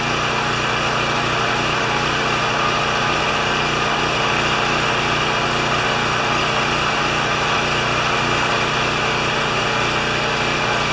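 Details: Champion 3000 W generator, brought in as a non-starter, running after service with a disliked choke adapter; tested good days earlier, likely low hours since last tune-up. Steady, even drone with a constant hum, no misses, knocks or surging; normal running.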